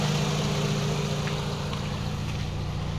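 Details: Mitsubishi CK2 with 4G15 twin-cam four-cylinder, after repair of a surging idle that swung up and down; it gives a smooth, low, steady idle with no surging, and the engine runs healthy.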